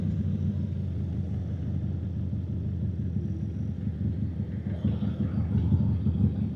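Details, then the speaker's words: 1993 Harley-Davidson Sportster 883 V-twin once warm: deep, lumpy but steady idle that holds pace without stumbling. The rough idle was only a cold-idle issue, apparently now dialled in. "Yeah, now that idle's better. It's just the cold idle. We hear the engine running better now."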